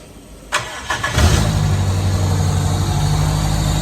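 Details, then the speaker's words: Toyota KE30 Corolla with a 7K engine, started with the newly modified air filter fitted to check for new noises; quick crank, catches at once into a firm even idle with no knocks or rattles: normal start and idle. "She sounds like she wants to go."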